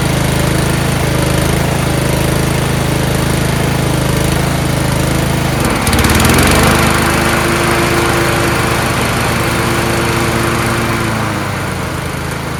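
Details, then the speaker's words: Yard Machines riding mower with a 13.5 HP Tecumseh engine, fixed after slow cranking and no start, oil checked clean and full: a steady, even single-cylinder drone that picks up cleanly with throttle without misses. Normal running; it starts right up. "this thing runs great starts right up now uh"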